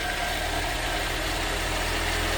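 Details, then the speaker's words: Ford Fiesta ST150 with replacement engine just fitted, new plugs and leads, first start then idling to purge air from the cooling system; smooth, even idle with steady low hum and no knocks, misses or rattles — normal idle. "Um and then yeah, that's a good start. Start the first time."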